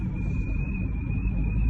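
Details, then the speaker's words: Thin steady whistle high over deep road rumble while driving, rising with speed: a broken exterior trim piece lets air in, causing a very loud whistle. "دي مكسوره فبتدخل صوت هنا، بتعمل صوت صفاره عالي جدا."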